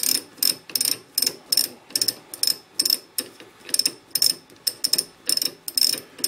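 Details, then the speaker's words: Leinen LZ4S lathe collet holder driven by a 2 horsepower motor: backing the drawbar out gives crisp, evenly spaced metallic clicks, about two to three a second. Normal ratchet clicking; the mechanism works fine. "I'm going to back my drawbar out you can hear the clicking mechanism work just fine"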